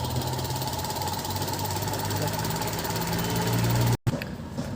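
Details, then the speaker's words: 2018 Maruti Alto at idle after cleaning a dirt-clogged electronic throttle body that caused stalling, hanging and misfire; steady smooth low hum, no misses or hunting, no check light: normal idle after repair. "अपना engine देखिए एकदम silent engine है smooth engine में hanging ज्यादा होता तो"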